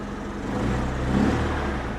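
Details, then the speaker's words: 1993 Pontiac Grand Am, 70,000 miles, salvage auction car with check engine light on and rotten-fuel smell at exhaust: uneven lumpy stumbling idle, definite misfire; suspected bad gas, coil pack or weak fuel pump, unconfirmed. "i mean it's definitely not running great there's so many things that could be it could be bad gas it could be a bad coil you can hear it's definitely misfiring huh"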